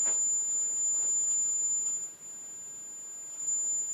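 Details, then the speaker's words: Teledyne Acoustic Research AR11 vintage loudspeaker tweeter on a sine sweep to about 7 kHz gives a clean, steady high tone with no buzz or breakup; covering it with a plastic cup cuts the signal greatly, indicating crossover and tweeter are most likely fine. "and covering the Tweeter definitely a large difference in signal covering it with a plastic cup so we can be fairly certain that there's no impedance issues with most likely the Crossovers and the particular drivers for the mid-range and tweeter on this unit"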